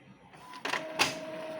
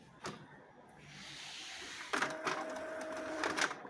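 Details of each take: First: Epson L3110 printer noisy when printing: two sharp clacks and a scraping burst as the paper is pulled in, then a steady motor whine. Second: Epson L3110 inkjet printer after replacing two worn paper-pickup rollers: smooth soft whir, quick light clicks and steady motor tone; earlier noise while pulling paper gone, paper now feeds normally.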